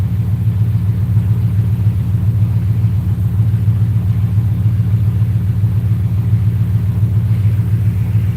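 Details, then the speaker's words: Rose with 4.6 Savage tune, warm, IAC at 42: deep steady V8 burble at 850 rpm with even beat, no misses, AFR as expected; normal warm idle. "Once we can at 850, that's right where it's gonna sit. So we're good on idle right now. The AFR is like it's supposed to be."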